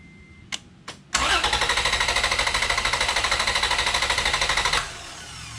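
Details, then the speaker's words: Vehicle with its battery removed and EFI relay pulled, cranked on a Lokithor J400 2000A jump starter in about 3-second bursts: quick, even starter cranking at about three beats a second with no firing. The engine turns strongly but cannot start. "I'm gonna go crank it. It will not start. I have the EFI relay pulled out of the system, so it's just gonna crank, but it won't run."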